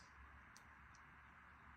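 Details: PC first boot after motherboard replacement, "CPU overheating detected" warning shown: steady even whooshing roar of fans pinned at full speed with no knocks or cycling; computer then boots.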